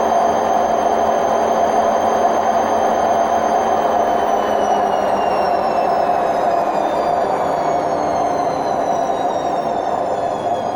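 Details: Hotpoint WMF760 washing machine on its spin program: a loud, continuous roar with a high whine that slowly drops in pitch as the drum spins. Rumbling during spin, attributed to bad drum bearings.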